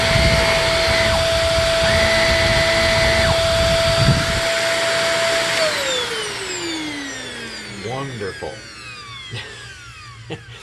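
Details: Shark NV22 upright vacuum power nozzle just after brushroll bearing replacement and new wheels: steady high whine at full speed, then a falling wind-down when switched off. Brushroll sounds healthy; the motor wind-down suggests its bearings will need redoing eventually.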